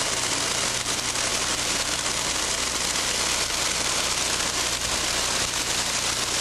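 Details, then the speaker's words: Control valve test section with inlet pressure raised from 100 to 150 to 200 psig, noise and vibration increasing. Loud steady hiss with dense gravel-like crackle: severe cavitation, about 108 dBA. "notice as the inlet pressure is increased from 100 to 150 psig and then to 200 psig that an increase in the level of noise and vibration is experienced"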